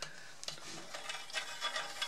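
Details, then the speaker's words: Bicycle Hayes CX Expert mechanical disc brake, new pads, wheel spinning: short irregular scraping swishes catching each turn; pad rubbing rotor on one side, pad-to-disc clearance not yet set. "catching on one side I don't know one of the sides so now give me another 10 minutes and the distance and the the piston here will be set so it's not making this contact sound it will be just fine"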